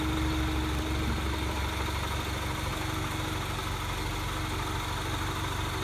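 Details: Mini Cooper S R56 idling after the timing chain tensioner was replaced with the updated part. Steady idle with an even low throb and a faint constant tone, no rattle; the owner asks if this is normal, and the source of the noise is unknown.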